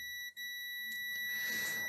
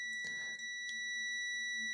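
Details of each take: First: Multimeter continuity test on a vintage Siera 5521 / Philips 22RH521 amplifier, probing from a power-supply capacitor positive to the output coil: single steady high-pitched beep for over a second and a half, circuit connected. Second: Siera 5521 / Philips 22RH521 vintage amplifier power supply rebuild, multimeter continuity test at a filter capacitor negative lead: steady unbroken high beep shows continuity; capacitor wired in incorrectly.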